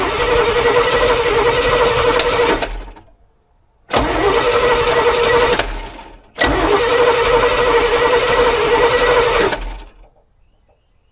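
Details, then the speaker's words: 1986 GMC square body, sat 9 years, two-stroke oil added to fuel, first start attempt: three long cranking bursts, even rapid chug about four turns a second, each dying off without catching. "all right we'll try this still I think we can get this to get this to go"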